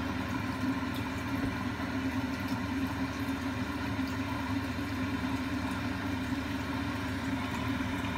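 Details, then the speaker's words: Giannoni round main heat exchanger with parallel coils on a running gas boiler, heard during servicing: a steady aeroplane-like roar from a blocked coil. The boiler still runs fine day to day but eventually starts banging and crashing heavily. "this noise is a block coil and the boiler actually run fine with a block coil eventually just starts a banging crash heavily"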